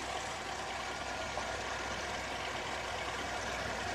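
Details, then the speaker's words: 2003 Oldsmobile Alero 2.2L Ecotec idling after cylinder 1 misfire repair with new controller, plugs and boots: even, steady idle with smooth hiss, no stumble or skip; running cleanly. "valve cover ignition flow with new controller new clogs and new boots and we're back and running"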